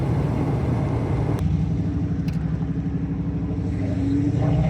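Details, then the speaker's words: 1972 Mustang convertible, 351 Cleveland V8 with Edelbrock 4-barrel intake, headers, Black Widow mufflers, automatic, driving not floored, idle set too high: deep, even rumble with steady firing, no misses; runs cleanly on all eight. "That was not floored. Yeah, that runs on all 8. That's not running bad."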